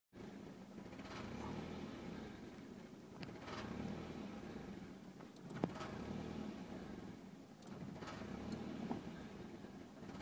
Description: 1992 Nissan 240sx Rough Bouncing Idle